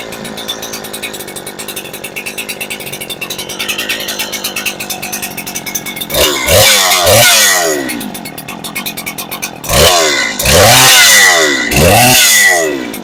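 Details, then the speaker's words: Farmertec Husky 372XP clone chainsaw, first start after fitting a new ported cylinder kit on a fresh base gasket: strong compression, rough burbling idle, blubbery slightly four-stroking revs; high-speed mixture set too rich, kept short for the new gasket. "definitely rich but hey guys she runs"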